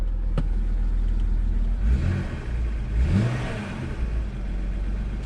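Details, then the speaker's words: BMW E90 N52 six-cylinder after VANOS code fix traced to Chinese parts: smooth rise and fall of revs with no ticking at idle or under rev; previous ticking gone; normal rev, no ticking. "we don't have any ticking at all anymore"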